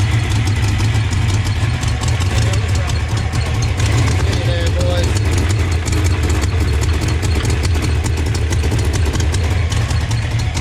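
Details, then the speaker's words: 1988 Ford Mustang GT V8 after Trick Flow top-end kit and mass air conversion, timing set, PCM swapped: deep lumpy idle, one cylinder dropping out repeatedly; persistent single-cylinder misfire, cause not found, injectors suspected next. "all right boy so we still have no answers on why we're not getting fired well we've got a misfire at the cylinder"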